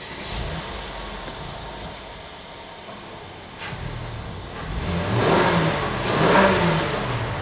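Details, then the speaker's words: 2015 Mercedes GLK 350, M276 V6, 97,000 miles, started after replacing ignition coil one for a P0351 code that caused highway limp mode: engine fires and settles, then two clean throttle blips rise and fall smoothly with no stumble or misfire; normal start and rev. "So, we'll start it up and make sure it's good."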